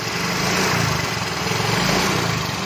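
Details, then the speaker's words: Yamaha Fino 125 scooter, oil-related problem: blipped lightly it runs rough and chattery with a dry tapping and delayed throttle response; with the cylinder head off, valve clearance adjustment found loose. "Nah, ini setelah kita bongkar kop headnya, kita ngelihat ini ada bagian setelan klep yang kendor nih."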